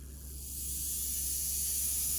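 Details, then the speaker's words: Rewound Athearn Jet 400 HO-scale motor just after remagnetizing its magnet: thin, high whirring hiss that spins up and holds steady. Maximum speed has dropped slightly and torque is higher than before, a healthy run. "Looks like I got it right though. The motor's maximum speed sounds like it's dropped just a little bit. And it's got more torque than before."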